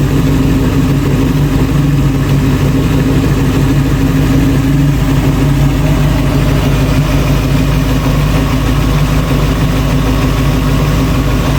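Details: 1966 Ford Bronco after full restoration, first start with the engine behind a transmission (previously only run on a stand): steady, even V8 idle with a deep, smooth rumble, no misses or knocks; normal idle.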